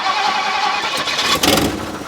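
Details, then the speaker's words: 1958 Mercury Montclair Turnpike Cruiser, not run since about 1994, carbureted: a short crank that catches roughly and stumbles instead of firing cleanly; a hard start because the accelerator pump was probably installed backwards by the rebuilder and isn't squirting. "so it should be quite obvious as to why my accelerator pump isn't working uh probably had something to do with the guy who rebuilt it putting the accelerator pump on backwards"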